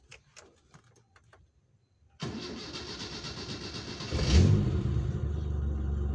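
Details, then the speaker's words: DX car running on LPG with a Wingas regulator: after cranking, the engine catches, flares briefly, then settles into a steady, even idle; stable while the regulator vent is open. "Ini stabil, kedengaran dari suaranya stabil ya."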